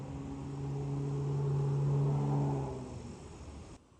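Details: Whirlpool/Maytag top-load washer test run after replacing worn tub/drive hub: motor hum rises smoothly, holds, winds down evenly with no grinding or knocking; agitates cleanly, normal running.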